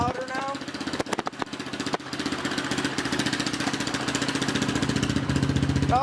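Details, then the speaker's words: Honda CRF230F after uncorking, carb jetting and tuning with idle adjusted slightly higher: single-cylinder catches after a few pulls, settles into steady, even idle and runs clean; normal idle. "and then we just adjusted our IO a little bit higher and it runs perfect now"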